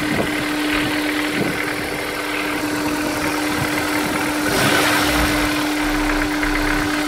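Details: Honda S2000 at cold start idle: light, fairly regular tapping about four times a second over a steady hum; owner suspects rod knock, not confirmed.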